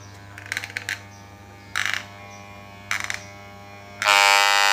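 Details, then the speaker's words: Barber hair clipper while its speed screw is adjusted (right is faster, left is slower): quiet buzz and clicks, then a loud, high, harsh whine when wound too far right; motor speed set too high. "Hai kalau putarnya ke kanan ke semakin kenceng nih kalau putarnya Ke Kiri Ke semakin rendah ya"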